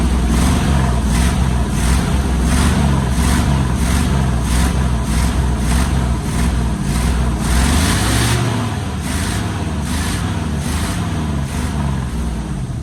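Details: 1973 Chevy K5 Blazer 350 V8 just started after sitting about 30 years, packed with rat debris: a lumpy, loping, stumbling idle that never quite settles as it spits out junk and burns acetone off the manifolds; rough running after storage.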